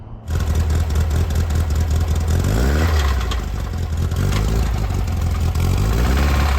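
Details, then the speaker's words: Air-cooled VW Bus 2007cc single-port stroker: uneven rattly knock, worse as revs climb, with lost power. Cylinder four had 110 psi versus 150; teardown found a worn rod bearing and a broken oil ring. "so basically we started having this weird rattly knocking noise lost a little power"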